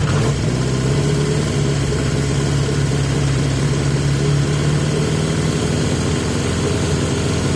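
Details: 1980 Yamaha XJ650 after airbox refitted with a filthy filter: steady, even idle that still sits noticeably fast, never settling to a proper low tickover; better but still too high.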